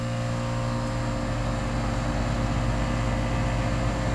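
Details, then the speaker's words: 2002 Goodman 2-ton central air conditioner condenser recorded outside, running: steady low electrical hum with an even fan rush, no knocks or rattles; normal running. "and this is a Goodman I believe 2ton straight cool air conditioner from n from"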